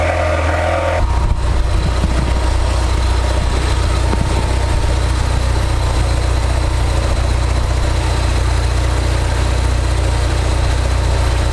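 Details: Ford Focus RS after fuel filter change and intercooler replacement, first start after battery reset: engine settles straight into a smooth, even low idle that holds steady; running normally, no leaks.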